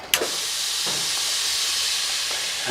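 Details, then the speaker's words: Peterbilt 389 after installing an aftermarket air-ride steer axle kit, testing the dash dump switch: a sharp valve snap, then a strong steady air rush for over two seconds. The suspension dumps normally and stays dumped until the switch is turned off. "we are and it'll stay dumped until I turn the switch"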